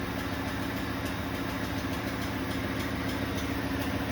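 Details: New 2026 Ford F-150 with Coyote V8, noise after towing a 1500 lb boat or parking on a hill: even idle with light metallic jingling ticking about three times a second; torque converter bolts slapping the divider plate.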